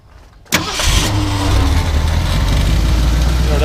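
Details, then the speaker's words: 1971 Ford F100 Sport Custom V8 with its original engine tag, started up: a quick crank, then it catches and settles into an even, deep idle with a smooth low rumble. A healthy start, and it runs really well. "it actually runs really, really good."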